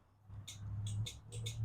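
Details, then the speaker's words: Toro Z Master zero-turn mower, battery voltage tested fine: turning the key gives only light, sharp fuel solenoid clicks, engine never cranks; ignition switch suspected, about to be tested. "all we get is that fuel solenoid so let's go ahead and pull this ignition switch out test it see if it is bad"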